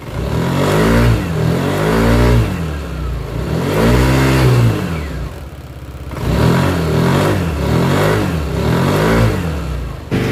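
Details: Yamaha Aerox 155 CVT after cleaning oil contamination off the CVT parts: engine pitch rises and falls smoothly through throttle blips with no slipping squeal or odd noise; clutch slip fixed.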